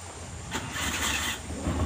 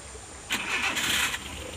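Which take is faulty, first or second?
first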